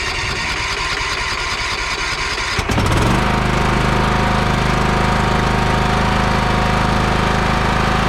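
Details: Lawn mower after carburetor repair, fuel turned back on and bowl filled: engine catches about three seconds in and settles into a steady, even running note with no misses or stumbles.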